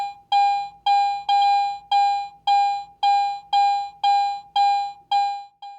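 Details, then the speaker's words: AT Pro metal detector in standard mode: about eleven identical full-strength mid-tone beeps as a coin passes the coil at different depths, binary audio response. "this consistent target response is called binary audio in other words it is either on or off it either beeps or it doesn't"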